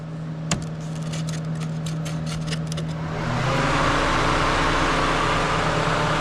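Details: Pontiac Vibe radiator fan after replacing a noisy fan, triggered by pulling in the fan relay with a magnet in 19-degree winter: the relay clicks, then a steady whoosh rises to full speed with even pitch and no rattle or scrape.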